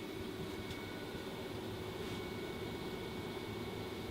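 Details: Newly installed Fantastic Fan RV roof vent running, heard from outside where the breeze is felt: steady, even airy rush with faint constant hum, no knocks, rubbing or wobble; running normally.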